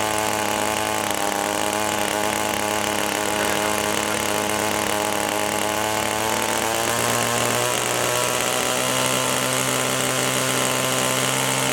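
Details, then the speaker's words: Echo two-stroke (same carburetor as HC-152 hedge trimmer) held at full throttle while the high-speed mixture screw is turned clockwise: screaming pitch slides lower and lower as it leans past the sweet spot; rpm drop from mixture screw adjustment. "so you can hear as we're returning the screw you could hear the throttle go down we held it full throttle the entire time but as we turned it clockwise it started to go go lower and lower"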